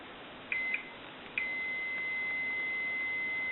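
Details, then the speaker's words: Stromberg Carlson wood wall crank telephone repair, meter testing ringer solenoid coil: a couple of short chirps then a steady high continuity beep; this coil is good, while the coil on the other side reads nothing. "and if you watch my meter, you'll probably even hear it. That's a continuity beep."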